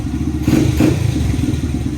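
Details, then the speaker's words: Honda CRF100 after air intake install and emissions delete: fires up without problem and revs in quick blips, crisp throttle response with a clear, louder but not obnoxious intake note, nothing knocking or rattling; running fine. "I can hear the intake right away on this one, on the 100. It's definitely louder, but not obnoxious."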